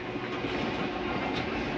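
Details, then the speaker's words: 2022 Catalina 323BHDSCK travel trailer, slide number two retracting: steady mechanical whir with light rattling and a couple of metallic clunks near the end, metal banging as the slide stops itself coming in too far; normal retraction, nothing breaking. "i want you to hear this it's okay to hear that for a second you're not breaking anything nothing just sounds like metal banging against each other what is the slide keeping itself from coming in too far"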